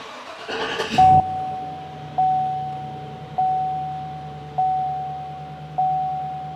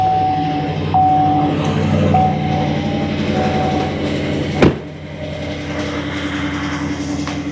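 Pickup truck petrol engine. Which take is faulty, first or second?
second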